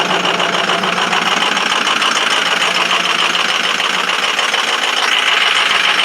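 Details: 2005 Ford 6.0 Powerstroke diesel cold start at 17°F: a harsh cold idle with an uneven clattering beat about three per second, misfiring from bad injectors 1 and 5.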